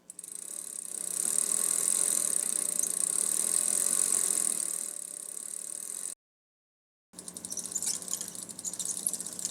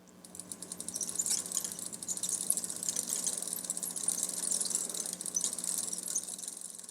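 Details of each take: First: Bicycle after lubricating each cog with T9 Boeshield, pedals turning: fast light freewheel clicking with only faint chain chatter, far fewer squeaks — quiet lubricated chain. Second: Bicycle before cleaning and lubricating the chain, chain not elongated: faint rapid high-pitched chirping ticks with each link as the cranks turn backwards; very squeaky dry chain.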